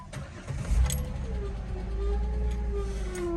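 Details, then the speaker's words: 2008 Jeep Wrangler JKU at idle after the battery light came on while driving: wavering, mid-pitched squeal over the low rumble after start-up; belt checked and looks fine, owner suspects alternator or water pump. "The battery light came on and I noticed when I slowed down that it's making a squealing noise."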